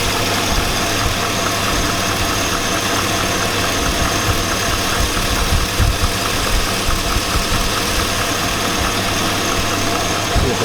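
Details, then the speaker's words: 2002 Chevy Avalanche 5.3L V8. A heavy idle with a deep low knock gets louder as rpm rises to just over 2,000 and is audible in the cab. The owner says it's rod knock, but this is unconfirmed. "yeah that's Rob knock who can hear it the hybrid rpms go the louder it gets really really Kathy dangling - tired"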